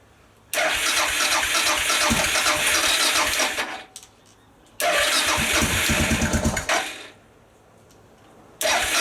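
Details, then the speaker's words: Suzuki DR650 on a newly fitted lithium battery, not started for a couple of weeks, petrol on reserve, choke on, clutch in: two long bursts of steady starter cranking, about three turns a second, no catch yet; cranking strongly. "Well, it's cranking it over. Actually, I think that's a little bit better."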